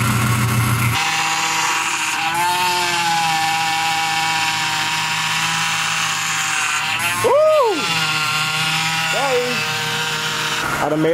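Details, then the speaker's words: 2007 Chevy Impala 3.5 L V6 at idle just after replacing the power steering pump and pressure hose; steady high whine with pitch sweeps as the wheel turns, owner suspects air in the system: power steering pump whine. "all right so that noise that you hear is the supposed in a pump when it's nothing to have air in a system and make that Wow rapidly whatever you want to call this out"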